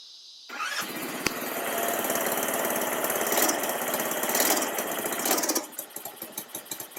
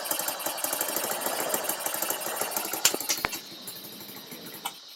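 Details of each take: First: Baja Dune 150 buggy with a Chinese 150cc engine, parking brake on, idle turned up, tried again after it had died on gas; it catches, revs strongly, then settles to a regular idle of about four pops a second. Normal running. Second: Baja Dune 150 buggy, Chinese engine, first start with idle turned up, parking brake on: fast, ragged popping, then a sharp bang and it dies instantly when given gas; stalls under throttle, owner suspects throttle needs adjusting.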